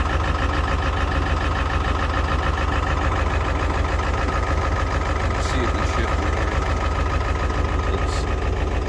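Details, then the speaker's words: 2001 Ford F450 7.3 Powerstroke diesel after new batteries: heavy clatter with loping shake about three pulses a second at idle from a sticky injector that comes back to life after running. "sticky injected if I let it run and come back to life so change the oil change fuel filter again"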